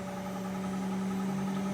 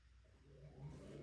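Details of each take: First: GE washer (not draining) in diagnostic drain pump test: steady low motor hum with a fast uneven rattle, about four per second. The drain pump is rattling, though no error code was generated. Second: GE washer in diagnostic test mode, running the inverter test (also checks water valve and door lock): quiet smooth low motor hum rising as the drum turns, no grinding. Inverter and drive motor are good; normal drum rotation.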